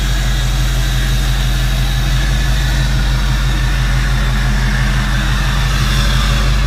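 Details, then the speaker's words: Diesel truck after repair: deep, steady diesel idle with smooth even rumble, no more ticking or the annoying squeak heard before; engine sounds healthy, normal idle. "oh yes I'm excited the truck sounds good now no more of that annoying squeak"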